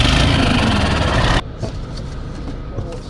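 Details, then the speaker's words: D12 truck diesel at idle and with some RPM, heard from the cab: harsh metallic rattling knock about three to four hits a second, then quieter; cracked EGR pipe, earlier suspected as an injector problem. "Yeah, so this is your EGR pipe rattle. Don't be afraid, you'll find."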